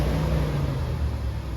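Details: Chevrolet G20 conversion van V8 after fuel system refresh and a new temperature sending unit, no check engine light: deep, even low rumble with no misses, knocks or hunting; steady, healthy idle.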